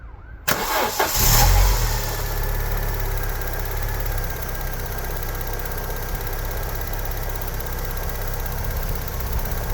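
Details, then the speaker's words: Normal start and idle of a 1990s petrol Vauxhall Cavalier with about 17,000 miles, just after a full service with new oil, filters and plugs: cranks briefly, catches cleanly and settles into a steady, even idle. It is being warmed up before the oil check. "sounds good as I say we're just going to let that warm up a little bit"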